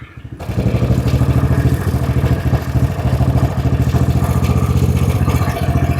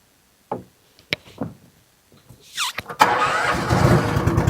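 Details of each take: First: Honda-engined side-by-side ATV, previously running rough, idling steadily and smoothly after the mixture screw was leaned out from rich and the idle speed was raised; engine has a governor. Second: Honda-engined side-by-side ATV with carburetor, started in neutral after idle speed screw turned down slightly: cranks, catches and settles into busy, slightly high idle; fast idle.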